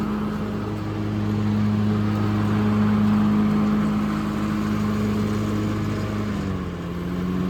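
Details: Hustler FastTrack SDX mower with X-blades engaged: steady engine drone with strong low hum, the note sagging slightly near the end as the heavier blades load the engine.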